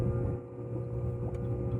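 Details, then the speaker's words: Flow equalization pump of a commercial Hoot aerobic treatment system, manually switched to hand at the control panel during inspection: steady low motor hum with water-flow noise; pump running normally. "What I'm going to do right now is I'm going to manually kick the pump on just to make sure that everything's still working."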